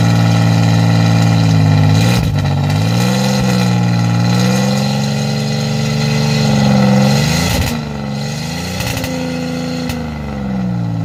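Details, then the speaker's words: 1987 Chevrolet Celebrity Eurosport 2.8 V6, 237k miles, cold, running rough, recorded at the exhaust before repair: loud, coarse, raspy drone swelling with revs, with fuel smell; no catalytic converter fitted. "I'm actually going to be putting on a catalytic converter or a resonator to quieten down the raspy exhaust noise that it has and the smell of fuel."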